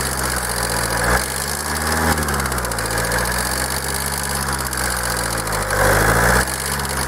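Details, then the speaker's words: Kia 2.0 CRDI diesel with Bosch common rail, warm idle: a hard, even clatter on every firing stroke that carries across the whole engine. Stethoscope checks and unplugging injectors show no change on any injector. Diesel knock. "tak próba ustalenia słuchawkami Puść gaz Niestety była niemożliwa to stukanie przenosi się tak jakby po całym kurczę silniku i nie ma na żadnym wtryskiwaczu zmiany"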